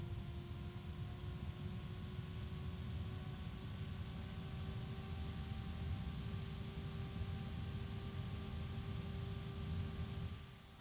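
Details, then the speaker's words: Computer fan running at full (high) speed: loud, even rushing airflow with a steady hum and no ticking or scraping, winding down at the end; a normal fan flat out, though other fans such as the Delta are louder. "wow isn't that loud I have other fans that are louder do you remember the Delta that's definitely loud"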